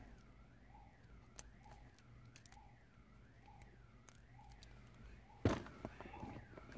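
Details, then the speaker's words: Viper 5305V remote start alarm being installed on a Honda: faint, thin siren warbling about twice a second, far too quiet, because the unit lacks a good chassis ground; silenced once properly grounded. "so once I ground it it shut the hell up or shut the heck up I mean see all right so if you ever have a backgr then you know I mean if you ever hear a siren going off like that very low then that means you have a Badr"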